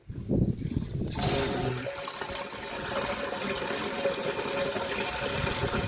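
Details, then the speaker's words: Jungle house water pipe: after a quiet start water rushes in with a thin, uneven hiss that never builds to a full gush; pressure weak and slow to rise. "ist immer noch nicht so ein riesen Druck. Manchmal dauert's eine Weile das guck mir ansteigt."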